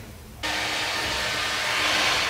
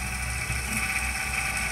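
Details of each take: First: Corsair VS650 power supply fan (12 V 0.3 A) after oiling the axle, bench-powered from about 8 V to 12 V: steady airy whoosh, faint hum, no ticking or buzzing; silent even at low speeds. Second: Corsair VS650 power supply fan removed and run from a bench supply at low voltage: buzzing hum with high whine over a low rattle at slow speed; strange vibration.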